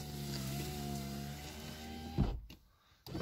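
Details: VAZ 2115 power window before cleaning, car freshly washed: steady motor hum as the glass travels with a faint rubbing drag, then a thump at the stop; scraping noise when raising or lowering, dirty glass channel.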